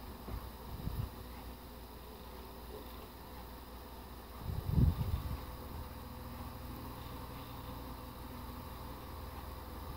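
Soft, steady whir with one brief bump partway through; the fan spins evenly on high with no rattle or grinding.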